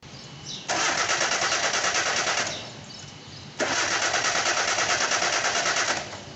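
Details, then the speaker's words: Car with a charged, good battery and a working starter that still won't start: two long bursts of steady cranking with no firing; fuel pump, fuses, crank sensor or automatic gear position suspected, not confirmed. "Also, the starter is in good condition And it works efficiently However, the engine does not work"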